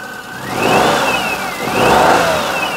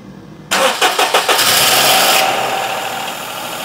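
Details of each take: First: 2004 Perodua Kenari after timing belt and water pump work, power steering pump reconnected: high whine rising and falling with engine revs; normal power steering pump whine, fluid slightly low, earlier alternator belt whisper gone. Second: 2004 Perodua Kenari, first start after timing belt and water pump work, no accessory belts fitted: brief crank, then a second or two of hydraulic tappet clatter before an even idle, quieter than normal; a normal start.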